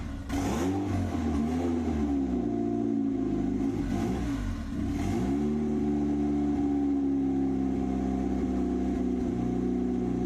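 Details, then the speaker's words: Turbo Pulsar after an engine swap, freshly refilled with oil after fuel-diluted oil was drained, started before the tune is uploaded; it surges and hunts with a wandering pitch and no settled idle. Rough running, needs tuning. "just going to start it we'll run rough for a little bit I just got to upload the tune so I can actually [ __ ] idle"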